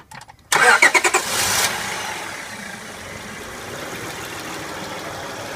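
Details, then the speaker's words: Honda Odyssey after replacing a dry timing belt tensioner that caused engine noise: brief crank, catches quickly, then a quiet, smooth, even idle with no ticking or squeal. "very quiet she'd be good to go"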